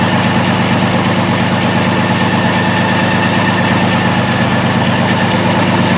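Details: 2002 VW Jetta VR6, idle, codes P0262/P0206, after plugs, wires and coil replaced: uneven lumpy idle with shaky beat; severe misfire with injector circuit faults, checked by drop test and scope.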